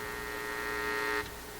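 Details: AF-610 Japanese AM/FM tube radio with external antenna connected, tuning the FM band: steady buzzing hum with a high whine on top, dropping sharply after a second, a new FM noise problem. FM reception noise.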